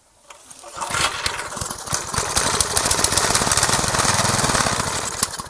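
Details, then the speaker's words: Garage-sale gas edger, carburetor cleaned and refitted, choke on: fast popping sputter about four beats a second, never catches; fuel-air mixture screw was fully in, backing it out one then another half turn got it running. "Took a little while. That fuel air mixture screw, it was just all the way in. So I backed that out."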